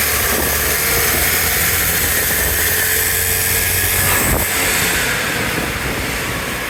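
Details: 2011 Vespa LX 150ie scooter: rough, gritty grinding over the engine when accelerating, worse pulling away; cause unknown.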